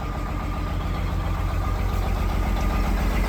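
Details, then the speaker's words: Detroit diesel truck, first start after sitting 11 years after ECM issue: rough idle with regular heavy stumble about four a second, missing like crazy; engine position sensor not reading properly. "She's alive! It's missing like crazy, but it's alive. 11 years. 11 years and it's alive. If it ain't reading engine position sensor, it ain't gonna run."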